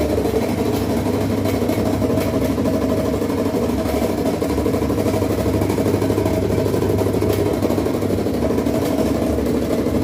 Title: whirlpool top load washing machine making loud noise